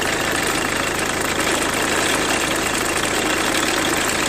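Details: 2003 Renault Mégane 2 phase 1 1.5 dCi diesel idling with a steady, quick repeating bird-like chirp over the clatter; owner thinks the timing belt needs redoing, cause not confirmed.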